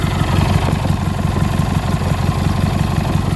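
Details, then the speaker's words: Cub Cadet 1811, Kohler Magnum opposed twin with a new replacement carburetor, carb adjusted and idle turned up slightly: low, even, diesel-like chugging idle with no misses or knocks; healthy normal idle. "it sounds pretty cool it actually sounds like my uncle's Ford three cylinder diesel tractor at an idle which is kind of neat"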